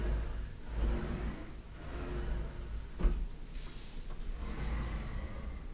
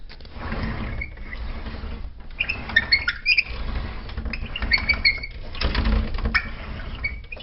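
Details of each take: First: Sliding closet door rolling back and forth after its squeaky, dirty tracks were greased: a soft, low rumble with no squeak or scrape, the wheels running smoothly in the track; normal, quiet sliding operation. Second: Sliding closet door opened: a rolling rumble with sharp, high squeals each time the door slides, from dry rollers in the track.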